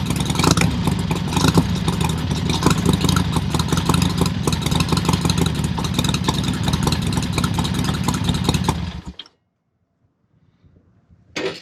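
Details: Harley-Davidson Sportster XLCH show bike after final assembly, oil pump primed and clutch fixed: V-twin fires and runs with strong, even lumpy beat and crisp revs, no knocking, then cuts off cleanly; sounds healthy.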